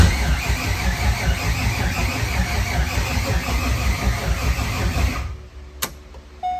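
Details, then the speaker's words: C5 Corvette drift build on a new battery cranks at an even rhythm about five seconds but never catches; crank no start, owners suspect no fuel (low fuel warning, no fuel smell), missing ground straps later found. "I don't know what's wrong with it. It ain't got no gas in it. Maybe."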